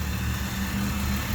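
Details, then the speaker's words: Nissan Maxima with a VQ30DE V6 after installing Audi R8 ignition coils, with OBX V2 headers and 2.5-inch exhaust, heard at the exhaust: a smooth, steady low idle with an even beat and no misfire or sputter. The ignition fires cleanly. "Nice calm idle. No misfiring, no sputtering. Go to the exhaust. Nice and calm."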